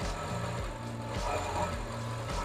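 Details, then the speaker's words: 2006 Mercedes CLS55 V8 after a Weistec 2.9L supercharger install, not yet tuned: steady, even idle rumble with no misses, knocks or surging; sounds good. "as far as uh it sounds good sounds good"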